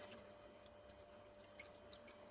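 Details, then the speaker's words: SUNSUN HBL hang-on aquarium filter with the output valve opened too far: irregular watery gurgles and drips over a faint pump hum as the pump starves and sucks air. "Gradually, it will make a sound . This sound is when the water can't come out, so it will make a sound,"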